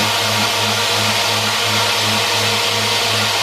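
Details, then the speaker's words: Homemade 2x72 belt grinder test run: steady motor drone with a low hum swelling and fading about twice a second; heavy vibration, owner suspects the bearings or out-of-round roller-skate wheels that still wobble after turning on a lathe. "And when I did, I noticed it still has a lot of vibration. The vibration is unreal, and I don't understand. Maybe it's the bearings in these roller skate wheels."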